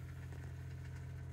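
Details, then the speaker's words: Truck camper RV water pump with a pressure-transducer pump controller, slow water flow: steady, even low hum with no pulsing or on-off hammering; pump modulating smoothly. "smooth and slow it is not hammering on off"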